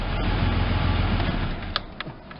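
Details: First start of a Ford Ranger pickup after sitting about 8 years, with a new fuel pump and 5 gallons of fresh gas; low, fairly even idle with light clicks and no knock. Slight hesitation, possibly a plugged fuel filter or old gas. Normal idle.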